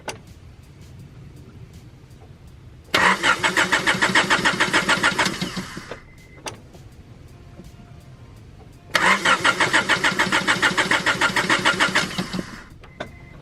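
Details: Honda Prelude BB6 race project, started with a small battery jump pack and enough fuel: two bursts of steady cranking, about four turns a second, and the engine never catches. Crank-no-start, cause unknown.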